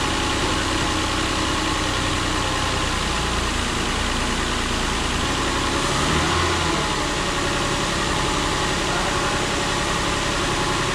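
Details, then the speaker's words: Nissan Pathfinder VQ40DE after replacing all three timing chains, guides and tensioners, fully reassembled: steady, even idle with smooth hum and no ticking, slapping or chain rattle; engine healthy. "you remember what it sounded like before get ready to hear what it sounds like now hopefully we're good to go"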